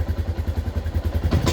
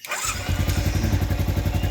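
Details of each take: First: Yamaha Jupiter MX New 135 with a weak battery, owner complaining of severe stumbling at initial throttle, low power and high fuel use: low uneven popping idle, then a ragged stumbling burst on a snap throttle that sometimes stalls; misfire traced to a failing CDI. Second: Yamaha Jupiter MX 135 that stuttered badly on low throttle, lacked power and used much fuel, after replacing the CDI unit and its rubber mount: even, steady single-cylinder idle with no misses; idle normal.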